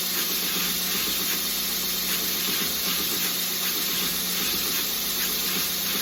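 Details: OBM surface grinder attachment with 90 durometer wheel on a 2x72 belt grinder, flattening a blade side: steady high hiss of belt on steel with faint even pulse from passes; normal smooth surface grinding.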